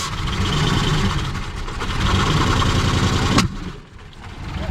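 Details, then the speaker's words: Ford 302 small-block V8 in a long-abandoned graveyard car, checked as a donor engine: rough, loud cranking and revving, then one sharp bang as it backfires. "Woo! She backfired. Keep going. Boom! Good Lord Almighty! I hope you caught that on camera. That scared the bejesus out of me."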